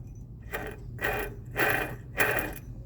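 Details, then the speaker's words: Water pump turned by hand with engine disassembled: four gritty grinding bursts about every half second, rough dry bearing; pump shaft failed without leaking water, pump and timing belt to be replaced and timing resynchronized. "aqui eu desmontei para verificar o barulho que estava no motor o barulho todo bomba"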